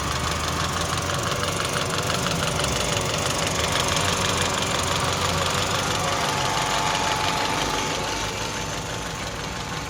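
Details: 2004 Saab 9-3 2.0t Aero at 300,000 km: fast, even metallic rattle over the idle at about three per second from a slapping cam chain; broken timing chain slide/guide, engine replaced.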